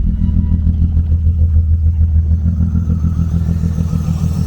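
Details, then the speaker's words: BMW E36 convertible idling: low lumpy uneven pulse about three beats a second; misfire stays on cylinder 6 after swapping coils between 5 and 6, so coil ruled out. "So still misfiring. Let's get a pull 5 first and see if it makes a difference."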